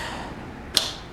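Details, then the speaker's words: Perkins diesel generator with upgraded control panel, run circuit switched on: one crisp click over faint hum as fuel shutoff solenoid pulls in; normal fuel solenoid engagement. "Picked up the fuel solenoid. And if I pick up the fuel solenoid and crank, you'll see the governor move."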